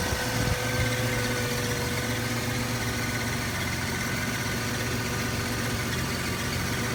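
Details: 1998 Toyota 4Runner Limited 4WD, 5VZ-FE V6, at idle: odd low buzzing hum with faint whine, appeared a couple days ago, masked by engine at higher rpm but still present; source unknown.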